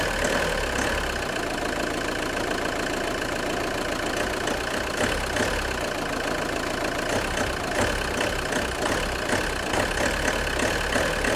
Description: JTD 105 weird creaking noise when engine is cold.